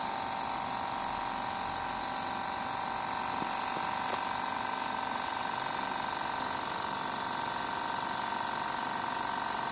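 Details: Sunshine S-959N OCA machine after repair converting a broken double-compressor setup (one dead, one weak) to a single compressor, building pressure: quiet, even hum with faint steady tone, no knocking or rattle; normal compressor running.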